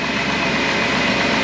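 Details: 2007 Dodge Grand Caravan 3.8 L V6, cold start after transmission filter and fluid service: busy idle with light fast ticking in the engine noise; valve train lifter noise, which the mechanic says is normal for this engine.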